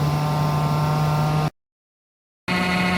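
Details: Webasto heater running: steady low droning hum with faint buzzy edge throughout, strange noise, cause unknown. Unusual running noise.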